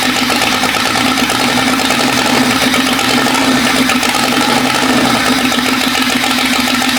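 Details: Jeep 5.0 stroker build: loud, busy idle with a slightly uneven, loping beat. Header temperatures (220–230° versus the 400° needed) show one middle cylinder dead, not the outer ones first suspected; owner suspects pushrod length or lifter bleed-down.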